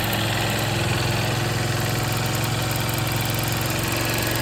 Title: 2024 Xr150l rattle/ticking sound what’s going on here